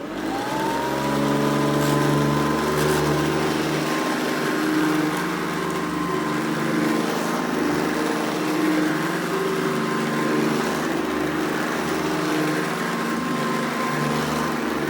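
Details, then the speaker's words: 1991 Hoover Supremacy Convertible U4719-900 upright vacuum running: steady motor whine with a loud uneven rattle; owner suspects the brushroll, possibly the bottom plate, and may lubricate the brushroll. "so anyway you will hear a loud bit of rattling on this and that's probably either the bottom plate order the brushroll"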